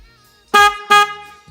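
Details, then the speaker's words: Upgraded louder aftermarket horn on an NF150-8A 150cc air-cooled carburetted motorcycle: two short, loud, steady blasts, strong enough the horn shakes from vibration; horn working normally. "Потом поставил сюда более мощную сигналку, которая действительно мощная."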